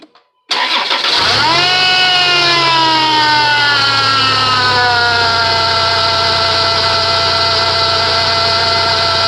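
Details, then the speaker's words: 2006 Chrysler Pacifica, 3.5 engine, heard from the driver side right after start: a loud, high, gritty squeal from the serpentine belt area drops in pitch with revs and keeps grinding at idle; the previous owner blamed the power steering pump, but it is a bad idler pulley bearing. "all right now that you heard the sound um it's not so much a serpentine belt squealing sound but it's almost like something hooked to the belt has a bad bearing in it"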